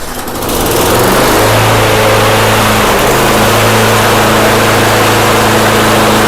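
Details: Snapper mower engine after fuel dumped in and carburetor jets cleaned: it catches within a second and holds a steady, even drone with no surging or misfire. It now runs properly.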